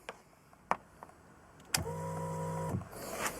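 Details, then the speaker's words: Fuel-injected motorcycle, ignition on: steady electric hum for about a second then stops cleanly, fuel pump priming properly; no hum would suggest a fuel pump problem. "That's your fuel pump supplying fuel to the system. If you don't get that, you may have a fuel pump problem."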